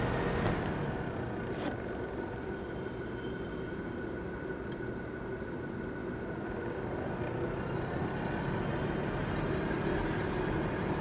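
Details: Asus laptop CPU cooling fan running loud: a constant airy whoosh with a faint steady whine on top, pace unchanged.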